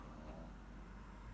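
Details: 5 kW Chinese diesel heater heating a home, about 80 hours from new after six days of smoking and stop-start faults, now burning cleanly with no smoke: quiet, steady low hum with even burner roar, no surging or sputtering; running normally.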